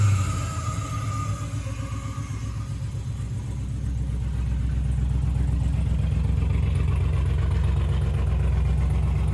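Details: 6.0 V8-swapped Camaro restarted after tidying wiring and commanding the fuel pump on; low, lumpy, uneven idle that pulses and stumbles as it rises: misfire.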